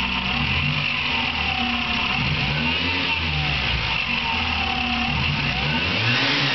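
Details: Car engine with a bird-like high chirp, present for two years and recently louder, rising and falling with revs. It persists after replacing the alternator bearing, running without the alternator belt, and replacing the timing belt tensioner. Owner suspects the water pump; cause undetermined.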